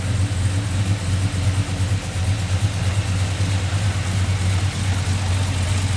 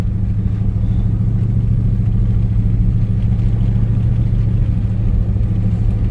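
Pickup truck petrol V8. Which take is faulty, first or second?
second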